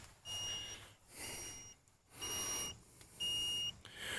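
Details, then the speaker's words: Hulkman Alpha85 jump starter after a failed crank: steady high beeps about once a second, its error 2 warning meaning car battery dead. "We've got an error 2. And you can turn it over to the back and you can see that a error 2 is car battery dead, press power, LED button simultaneously, right."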